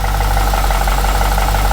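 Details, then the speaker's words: Project Crewman car, first start after 2.5 years of work, stock tune: fast light ticking over a steady idle, seemingly from the top-end pulleys; owner suspects pulley bushings and bearings loosening after sitting; oil pressure 36 psi; otherwise smooth. "It's idling down. I definitely hear some upper drivetrain right now."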